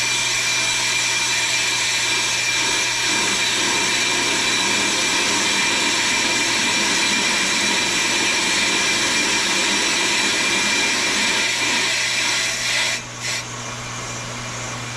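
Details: Pro-Cut on-car brake lathe machining a brake rotor with the chip deflector fitted, which damps vibration: a steady high-pitched cutting hiss over a low even hum, no ringing or chatter, so the lathe is taking a clean cut.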